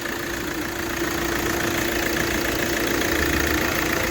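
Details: Hyundai i20 petrol engine idling evenly with a steady hum, no knocking or misfire, after repairing broken wiring causing an injector open-circuit fault on one cylinder; faults cleared, no check engine light, normal idle.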